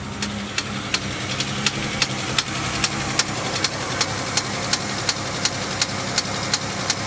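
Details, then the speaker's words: Salvage Pontiac G8 GT listed as a non-runner, started on a jump pack on a snowy day: sharp light ticks at about 170 per minute over a steady idle, following engine speed; upper-end tap suspected, not confirmed. "that's not a knock is it that's an upper end tap okay it's an upper end knock"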